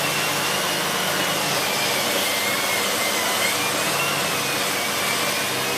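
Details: Siemens Z6.0 Power 2500W bagged cylinder vacuum with its mini turbo brush cleaning a chair. Loud, steady rush with an even airy whir that never sags; the brush spins quickly and freely, normal operation.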